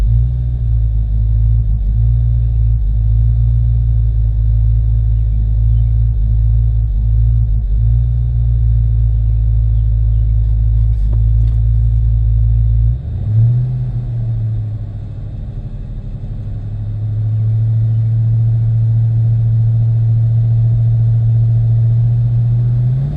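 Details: 1993 Mustang GT 5.0 V8 at idle: deep rumble with uneven pulses and an rpm sag, misfire; new plugs, injectors, wires, fuel filter and pump; runs bad at idle and light throttle, fine accelerating; owner wonders IAC, TPS, EGR.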